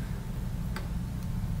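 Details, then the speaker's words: Samsung SE-208 portable USB DVD writer, defective out of the box: a low steady hum with two sharp ticks as the drive seeks over and over but never reads the disc. Failing on any computer, so power is ruled out. "this is all it's going to do it's just going to sit there and try to read and try to read and it won't read it"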